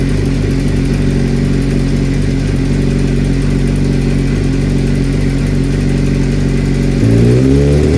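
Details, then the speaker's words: Suzuki GSX-R 600 inline-four, overdue for a valve adjustment, reassembled after the valve check: steady idle with light rhythmic ticking following the firing order, then a rev blip; clicking only at idle, cause not confirmed. "Okay, so basically it's not it's only doing the clicking at idle"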